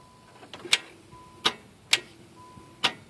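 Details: Nissan Maxima no-start, no-crank during starter and battery testing: sharp single clicks roughly every half to one second with no cranking or engine sound behind them; no-crank click, cause unknown.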